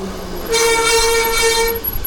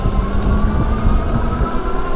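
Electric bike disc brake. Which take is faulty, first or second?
first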